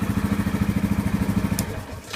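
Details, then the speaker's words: 2015 Yamaha Grizzly 550 ATV, 100 miles, formerly dying in park and barely cranking; after spark plug replacement: starts easily and runs an even, steady putter of about nine beats a second before switch-off; healthy start. "So, very encouraging right now that the machine started up easily."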